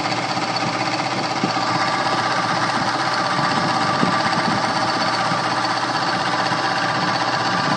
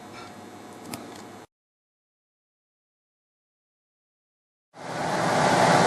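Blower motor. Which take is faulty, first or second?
first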